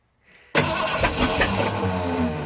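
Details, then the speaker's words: 1979 Ford F-150 Ranger XLT, 351M V8, third start attempt; starter grinds in, engine fires and stumbles for a couple of seconds but won't settle into a run as the starter keeps slipping. Owner thinks a new starter is needed. "start to keep slippin before I can start running completely oh come on come on"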